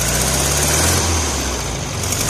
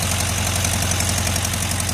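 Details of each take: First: 1973 VW Karmann Ghia air-cooled engine, sat 28 years, with new plugs, wires, coil, cap, rotor and electronic ignition, just started: slow, uneven loping chug about 3.5 beats a second; idle set low, timing possibly still off. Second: 1973 VW Karmann Ghia, first run after 28 years stored, with a new ignition (plugs, wires, coil, cap, rotor, electronic ignition): steady, even air-cooled idle with a regular low thrum and no miss; quiet, so the muffler is good.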